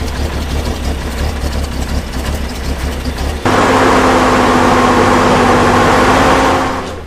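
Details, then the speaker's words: Old six-cylinder engine, about 3000 cc, with electric fuel pump and some choke: even, smooth firing at idle, then a held higher rev that stays steady before easing back; runs remarkably smoothly. "Szépen jár. Milyen hangja van? Elképesztően finoman jár."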